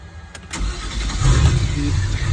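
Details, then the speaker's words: 2006 MasterCraft X15 boat engine on a fake lake, blower on, after fuel pump re-installation fixing hard start, fuel pressure holding: short crank then quick catch into deep, even rumble; unusually fast, clean start. "I don't know if I've ever had it quite that fast start."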